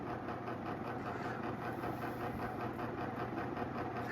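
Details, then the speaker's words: Antique Hunter R-36 "Original" 36-inch ceiling fan, up to 90 years old: a soft, steady whir with a gentle even pulse and no scraping or clicking. It still runs great. "Yeah, 100 years later, still running great."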